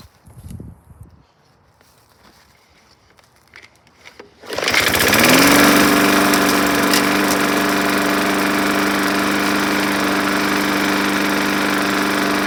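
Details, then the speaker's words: Junk walk-behind lawn mower running on just enough fuel after priming, air filter and cover missing: it starts and settles into a fast steady buzz with a light rattle; smoky and rattly, cause still to be checked, blade to be inspected. "okay smokey but it started that's a good start a little rattly we'll have to look at that"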